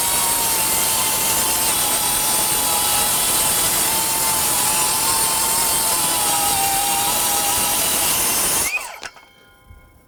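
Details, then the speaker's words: Metabo HPT MultiVolt C3607DWA 36V 7-1/4" rear-handle circular saw on battery, repeated heavy cuts: steady high whine through a long rip, pitch dipping only slightly under load before spin-down; holds speed without bogging, normal. "you can hear the saw bogging slightly and I wouldn't say bogging but you can hear the RPMs come down a little bit let's just keep her going and see what happens"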